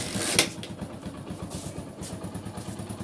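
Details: Hero Splendor Plus motorcycle engine idling with a steady, even low thump and no chain rattle after the timing chain noise fix, done without removing any bolts.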